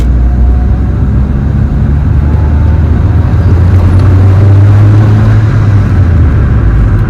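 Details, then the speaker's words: Honda Civic engine on its first run after the build, with a small coolant leak at an intake manifold fitting and no check engine light. Steady, even low rumble with no knocks or misses, revving slightly. Normal running. "So, we are I'm calling it. I think that's a good decent first run. No check engine light."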